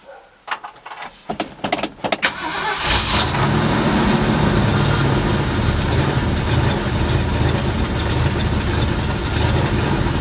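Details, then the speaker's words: 1965 Ford Galaxie V8 with freshly rebuilt Edelbrock carburetor: starter cranks in short bursts, then catches into a low, slightly lumpy idle; owner had turned the idle down a lot and will turn it back up; oil pressure light came on, old oil. "yeah I did turn the idle down a whole bunch I'm gonna I'm gonna turn that back up"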